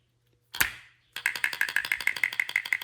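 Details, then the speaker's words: Shower pressure-balancing valve cartridge, freed with vegetable oil and hot water; one sharp snap, then quick rattly clicks at about ninety a minute as the internal piece moves freely: normal cartridge click. "That's what I was expecting. I'd put some vegetable oil in there, so a little hot water, and that's got it moving. So that's what we want to hear before I even get started."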